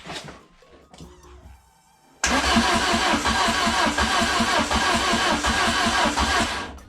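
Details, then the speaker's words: Peugeot 106 with swapped XU7JP4 engine after wiring harness work: starter cranks steadily at about three turns a second but never fires; no spark at the plug, owner suspects the immobilizer. "soir n'y a pas d'étincelle donc c'est l'anti dème il me semble"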